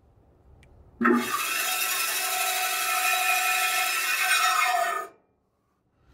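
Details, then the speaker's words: Old basement bandsaw, used 31 years, not run in at least four years and sat outside in the cold, first start-up with safety blade cover on: harsh raspy scraping running steadily with the motor, blade hitting somewhere on top; rubbing suspected, not confirmed. "hitting somewhere on top here"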